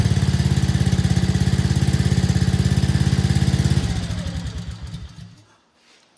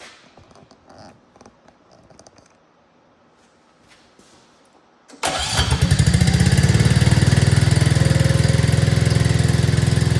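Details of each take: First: 2024 Arctic Cat ZR 200 snowmobile after throttle cable slack readjusted: small engine idles with steady even thump for a few seconds, then switched off and coasts down; normal idle, stalling problem solved. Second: 2024 Arctic Cat ZR 200 snowmobile on a bucket: small engine starts and runs fast and steady, idling much higher with track spinning, because the throttle cable was overtightened while fixing dying at idle.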